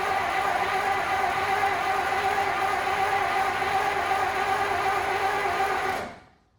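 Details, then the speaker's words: 1933 Dodge Brothers sedan with stock flathead six, long unused, starter wired straight to the battery and ignition not yet connected: it cranks with an even whirring churn for six seconds and never fires, turning freely. "Well, it cranks. No"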